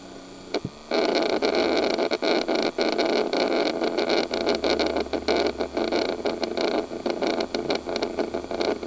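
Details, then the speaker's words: 1998 Chevy Silverado 2500 with a 454: the fresh-air/recirculation door actuator runs constantly while the key is on and never disengages. An uneven, scratchy ratcheting grind, like stripped gears. Suspected, not confirmed. HVAC actuator grinding. "sounds like gears that are stripped out and as long as the key on it's just doing that constantly"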